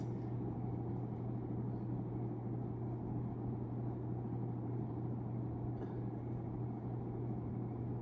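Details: 1991 42-inch hugger ceiling fan, model HC42, on test before install: on medium speed, drawing 39 W and 0.32 A, about 3,458 CFM; steady low hum with even airflow noise, no ticks or rubbing; normal operation.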